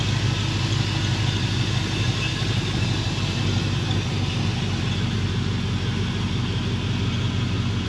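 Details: Junkyard 5.3 LS V8 for a C10 truck, 4L80 transmission, new spark plugs after earlier dropped cylinders, fuel pressure checked: deep, steady, even rumble with no knocks or misses, smooth healthy settled idle.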